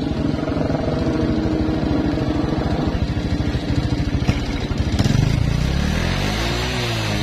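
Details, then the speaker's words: Karisma motorcycle at idle: a quick, regular metallic clatter keeping time with the engine. The cylinder block is worn oversize (not the piston), letting the piston slap. "suaranya ini bunyi ini adalah di bagian blok ya bagian blok piston nya sudah longgar diblok ya bukan piston yang longgar ya"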